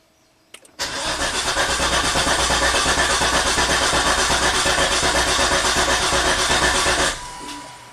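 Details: 2004 Volvo XC90 T6 twin turbo AWD with MAF and crankshaft position sensor codes: starter churns steadily about six seconds, roughly three pulses a second, engine never catches; MAF reads zero g/s while cranking; long crank, no start, cause not yet found.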